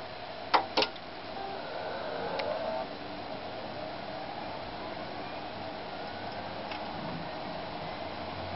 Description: New Seagate LP 1.5 TB (ST31500541AS) started clicking only one day after I have installed it in my PC!